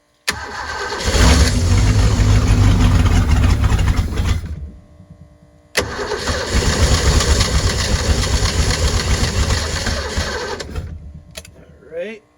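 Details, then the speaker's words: 1989 Supra TS6M ski boat engine, once sunk, 1,300 hours, idle turned up: fires, runs with an uneven surging beat, dies, restarts and sags, warming quickly; fuel starvation from sticking carburetor floats. "apparently yeah the floats are definitely stuck or not opening enough or not getting enough fuel whatever it may be"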